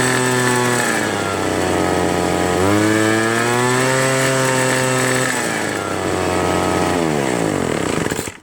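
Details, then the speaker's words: Free two-stroke leaf blower (Troy Bilt/Homelite): it surges high and low every couple of seconds and only holds speed on part choke. One carburetor high-low mixture screw is missing, the other rounded off, so the mixture can't be adjusted. "It won't go high throttle. Unless you put the choke in the middle."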